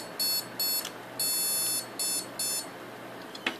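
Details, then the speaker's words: PC after a DDR3 RAM upgrade to server RAM and an eight-core processor swap: high-pitched startup beeps, two short, one long, two short. The desktop is rejecting the incompatible server RAM, and the original RAM cured it. "when you start it up it beeps i thought what's going on here then is it either the processor or the ram"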